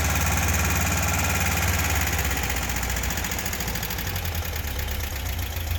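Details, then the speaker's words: 1976/77 fuel-injected VW Beetle air-cooled engine, first start after a top-end rebuild: catches and settles into a steady, even idle with the usual clatter, no knocks, misses or smoke; healthy. "so it started up really nice there was no smoke there was no noises"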